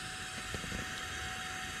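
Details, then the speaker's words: Subaru Forester twin-turbo, engine off, pump jumped to run from battery: steady high electric fuel pump whine whose note shifts as regulator base fuel pressure is lowered from too high; base fuel pressure was set wrong. "looks like we have our base fuel pressure wrong and you could actually hear the pump changing like the pressure"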